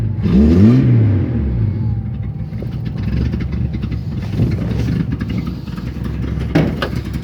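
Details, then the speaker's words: Datsun 260Z at idle with a throttle blip. Deep lumpy idle with a faint puffing chuff from somewhere at the rear; exhaust leak. "got a little bit of an exhaust leak back here in the back somewhere you can hear it"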